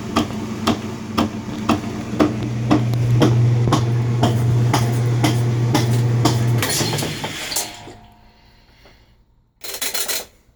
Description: Whirlpool LSB6400KQ1 washer (with cover off) has a knocking sound in low spin or high spin speeds. The lid switch is bypassed for this test. This turned out to be a bad transmission.